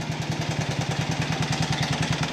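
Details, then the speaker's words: Single-cylinder buggy engine, warming up, under throttle: sharp, even knocks about ten a second over the engine beat, a hard metallic knock from inside, possibly also heard at idle; the source could not be located. "Mann das hört sich so gar nicht gut an ich versuche euch mal hier hinzustellen und dass H einfach mal mithört aber ich glaube man hört es auch im Leerlauf"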